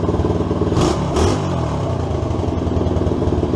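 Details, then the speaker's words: SSR 110cc pit bike after new head installation and timing set: revs briskly then holds a fast idle with a tinny clatter on each firing pulse from the exhaust, a rattle from a missing exhaust gasket and bolt. "I get that gasket on the exhaust tomorrow it'll sound a lot better let see how good she starts rattling the exhaust"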